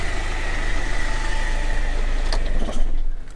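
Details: Land Rover Freelander TD4 (BMW M47 diesel) at idle after fixes including glow plugs, injectors check, inlet manifold cleaning and crankshaft sensor: steady, even idle with a smooth low thrum, no misses or knocks; white smoke gone.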